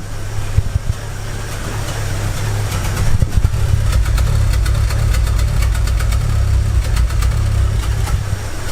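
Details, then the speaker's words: 2006 Chevy Aveo petrol engine idling roughly with irregular thumps and stumbles, worse and surging in Drive, P0300 random misfire code; plugs, wires and coil already replaced, which helped but didn't fix it. "hear that rough idle and it gets worse it gets worse when you put it in a dry you like surges and just a rough idle"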